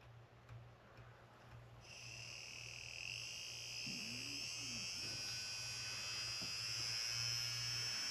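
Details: Tamiya 58001 Porsche 934 RC motor on a bench power supply after lubricating the shafts: quiet start spinning up to a steady even high whine, no rattle or scraping, running clean.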